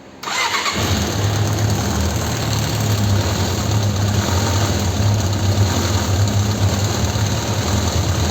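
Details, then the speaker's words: Suzuki GSX600F that runs poorly, especially on starting, despite past services: fires up and idle keeps swelling and sagging instead of holding steady, unstable RPM, before new NGK DR8ES plugs and carburetor synchronization once warm. "Vamos a arrancarla para que para que veáis lo que hace con la con el tema de las revoluciones."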